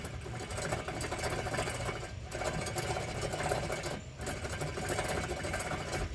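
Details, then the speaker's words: Front wheel bearing, axle removed, hub spun by hand: rough gritty rumble rising and falling with each spin, pausing between pushes; worn wheel bearing needing replacement. "something tells me that's not supposed to not supposed to hear any sounds when you're spinning let me see I guess I did need new wheel bearings"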